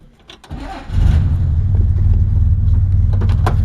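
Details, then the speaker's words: 1965 Corvair with newly fitted fuel pressure regulator, already warm from running a minute earlier; short crank, catches within half a second, settles to a steady even low idle; clean healthy warm start. "Now I figure I'll start it up. I did have it running a minute ago, so it's not like a cold start or anything."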